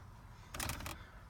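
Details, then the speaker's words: 2009 Dodge Ram 1500, under the dash: faint muffled clicks in two bursts, a gear skipping teeth in the blend door actuator motor; no airflow to the windshield. "это что это это моторчик который открывать меняет положение заслонки то есть то что регулируется вот этой вот кнопочкой"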